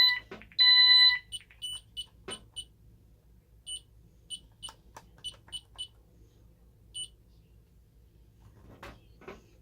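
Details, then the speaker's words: Ademco 6128 alarm keypad on the bench, no modules fitted, fire panic triggered by pressing star and pound: a short steady high tone, then a run of quick chirps. Fire panic alarm. "And star and pound is also a fire panic. I don't know why that does that, but it does."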